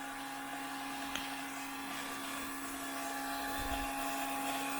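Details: Electric fuel pump running on a 2002 6.0L drive-by-cable LS V8 during leak check: steady mid-pitched hum with fainter higher whine, no chatter; suspected leak was fogging-oil overspray, normal.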